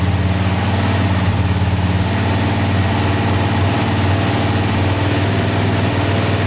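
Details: Single-cylinder quad after repair of bent valves (suspected skipped timing; piston, rings, cylinder undamaged), started to warm up: deep even idle thump, no ticking, rattles or hesitation, no leaks yet; normal idle.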